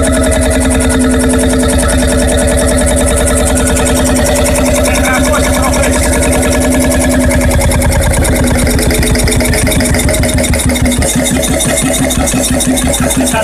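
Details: Freris-built Syros 1950-55 two-stroke 12 hp diesel, wick-started, restored 2014 after about 40 years idle: slow, steady thumping about two beats a second, even and unbroken, clean mechanical clatter; healthy.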